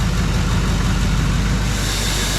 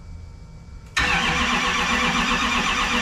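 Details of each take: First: Freshly rebuilt Duramax diesel in a 2012 dually with a new S&S CP3 pump, just after first start, turbo not yet fitted: steady, even low rumble with smooth diesel clatter and no misses or knocks; it sounds good and makes oil pressure. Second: Rebuilt Duramax diesel in a 2012 dually with a new S&S CP3 pump, first start attempt on the charger with no fuel in lines or injectors: the starter cranks steadily with an even chatter and no catch yet while the system primes.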